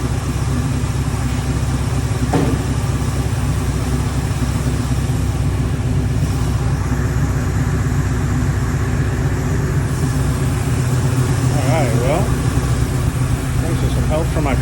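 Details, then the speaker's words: Ford Bronco running after 11+ years sitting, two hours of work, on very old gas: steady even low idle rumble, no misses, knocks or ticks; normal idle. "here we got it running and uh don't sound too bad"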